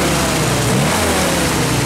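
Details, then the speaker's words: 1948 Willys CJ-2A Jeep after sitting 12–14 years, revved: now firing on all four cylinders, fairly even beat with a faint residual miss; a stuck valve suspected. "it started firing on all four cylinders it's still missing a little bit but I I kind of thought there was a stuck valve uh more than anything"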